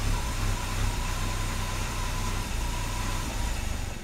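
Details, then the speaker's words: 1997 BMW E36 M3 sedan, 120,000 miles, petrol straight-six with a low, uneven lumpy idle whose rumble swells and dips; not fixed by new oxygen sensor, MAF sensor or PCV vacuum tube, cause unknown. "for the third time this rough Idol has defeated me it wasn't the oxygen sensor wasn't the mass airflow sensor it wasn't that PCV valve vacuum tube"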